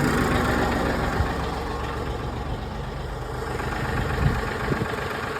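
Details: Massey Ferguson 1736 diesel tractor idling steadily after cold start at 20° with wind, glow plugs used, after hard-starting fix with new fuel filters (oil level also checked); even clatter, settled low rumble, no misses or knocks; normal idle.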